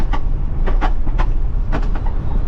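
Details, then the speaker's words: Truck on the road during the final repairs: irregular hollow clunks in quick bursts over road rumble, coming from behind the dash. The intermittent dashboard banging noise is still not fixed. "And I was hoping I'd fix that noise in the dash, and I have not."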